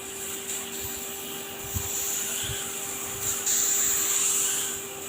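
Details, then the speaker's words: Refrigeration system with a fan now cooling the condenser (condenser temperature falling, about 59 degrees): steady, even high-pitched hiss over a faint low hum, no knocking or rattles; normal refrigerant spray through the expansion device. "bunyinya bunyinya yang normal ya yang bunyi normal semprotan ya kayak semprotan kayak giniya seperti ini"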